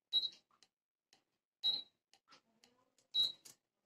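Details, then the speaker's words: Induction cooker switched on with an aluminium pot: three short high beeps about 1.5 s apart mean it won't work or heat because aluminium cookware is incompatible. "Power button on कर लेते हैं, आपको सुनाई दे रहा होगा beep की आवाज़, इसका मतलब ये वर्क नहीं कर रहा"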